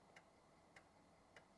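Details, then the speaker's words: Old PC motherboard on bench test with a DOS floppy inserted and no hard disk, after power-up and a beep: soft, sharp ticks about every 0.6 seconds over a quiet background; normal floppy drive seek as it boots. "So the power supply is up and running. I heard a beep. I'm hearing the floppy disk"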